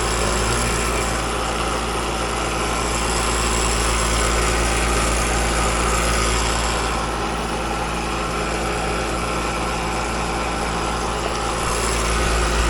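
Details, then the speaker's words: Outdoor AC compressor running noisy and chattery: steady, loud droning hum with a coarse buzzy edge; technician suspects liquid refrigerant returning to the unit, before checking charge; cause not yet confirmed. "Now I'm just going to check, since it's so noisy and chattery, it just sounds like we're getting too much refrigerant back to the unit."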